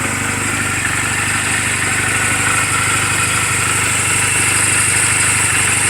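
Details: Reference sound of a healthy 2007 Honda Rebel 250 and its valves, idling in neutral just after an oil change and valve clearance adjustment; quick, even exhaust patter at steady speed, no misses. Mechanically sound, only cosmetic flaws. Normal idle.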